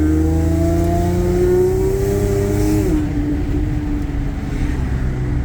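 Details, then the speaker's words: Audi A6 3.0T after installing a Gibson 55106S anti-rasp muffler, revving: deep, smooth, throaty exhaust note with the rasp gone, though some interior drone remains. "all right y'all I don't know if you can hear that but it has more of a deep throaty sound now"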